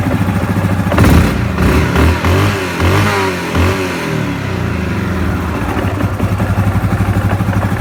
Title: Ямаха Гризли 700 стук со стороны вариатора